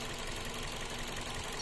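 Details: 2003 Toyota Vios manual: idle uneven with a faint irregular stumble under a steady engine hum; misfire at idle, cause not identified.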